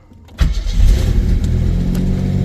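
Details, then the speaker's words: Pontiac Fiero GT after a cracked catalytic converter causing an exhaust leak was replaced by a custom one and clamped: engine settles into a deep, even exhaust rumble with no puffing or ticking, normal. "nope yeah I clamped it for now that sounds better"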